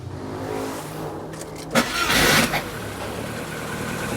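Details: Rover 25 with K-series engine, idle control valve unplugged as a test: cranks, catches raggedly and settles into an uneven, lumpy idle. Hard starting and rough running; unplugging the valve made no difference and the cause is still unknown.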